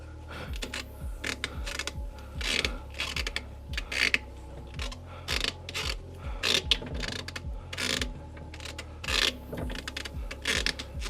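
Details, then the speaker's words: B20 Honda Ballade wheel turned by hand with CV boot out: irregular ratcheting clicks and gritty grinding, wheel vibrating; owner suspects broken CV joint rather than diff, cause unconfirmed. "Oh, okay. Something's definitely not right here. The wheel is vibrating so much just by me turning it. Maybe the CV book. There's a lot of noise coming from here. Maybe the CV broke."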